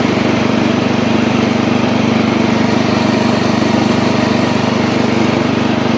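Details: Old Montgomery Ward Power Kraft riding mower cutting with blade engaged, air filter off: small single-cylinder engine holds steady, even beat around two firings a second, no misses or knocks, after earlier stutters while driving; healthy under load.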